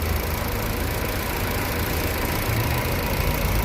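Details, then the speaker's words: Car with 4th-generation propane gas system idling on gas: engine shakes and knocks, stumbling unevenly with a loose low thump; exhaust also uneven. Misfire on gas, smooth again when switched to petrol. "Mana motor qimirlab ishlayapti, mana stuk bilan ishlayapti. Tekis ishlamayapti, bir tekisda."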